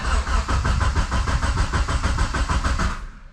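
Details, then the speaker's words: 2G GSX on FuelTech ECU, new tune, first start attempt: starter spins at steady three-per-second chug without firing, then stops; no crankshaft signal, later traced to CAS connector; crank no start. "Okay, we've got no signal from the crank."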